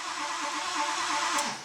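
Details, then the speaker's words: Diesel cranking with fuel pressure and ICP coming up slowly; starter drones with an uneven beat, then sags and slows without catching, slow crank, no start, cause unconfirmed. "yeah you can hear the engine slow down yeah we got plenty of ICP we got fuel"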